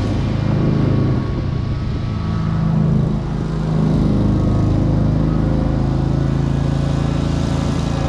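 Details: 2003 Wright Stander, 23 hp Kawasaki V-twin, after everything wrongly hooked up was corrected and adjusted: steady, even low drone with no misses, surges or knocks. The engine runs properly.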